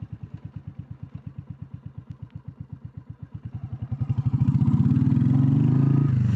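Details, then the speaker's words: Royal Enfield Classic 350 single idling with a slow, even thump of about four beats a second, then a brief rev; started stone cold fine after the idle was raised at the throttle adjuster. "So, I'll just fill up here and let it idle. Let you hear it. It started tonight stone cold fine."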